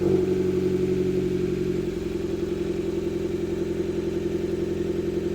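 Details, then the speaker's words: Fiat Panda 100HP swapped to a Bravo 1.4 T-Jet turbo engine, first start-up with dashboard warnings and no coolant lines fitted. The idle is uneven and lumpy under a steady whir, sounding like it runs on two cylinders; a misfire is suspected. "The car's working, the turbo's turning, I think. It sounds like it's running on 2 cylinders."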